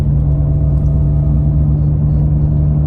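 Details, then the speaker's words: Retired SEMA GM 1500 6-lug truck, in cab at about 37–50 mph before replacement: deep steady drone with a fixed low hum from a bad left wheel bearing, louder with speed. "so the noise is not too bad this is only my left one that's bad but i'm gonna replace both of them"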